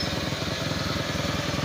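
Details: Bajaj CT100 single that stalled once hot, after new CDI, cleaned carb and added fuel filter: quick even putter at steady idle, no stumbling or dying; normal idle.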